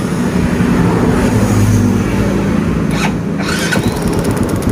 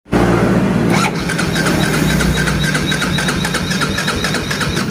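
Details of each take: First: Yamaha Vega ZR/Jupiter motorcycle that started on the kick starter but not the electric starter because of a weakened pulser. After the pulser gap was adjusted, it catches at once on the electric starter and idles evenly; electric start working normally. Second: Yamaha Vega ZR/Jupiter motorcycle that starts by kick but not electric starter: starter spins engine steadily with light regular beats but never fires; weak pulser coil suspected.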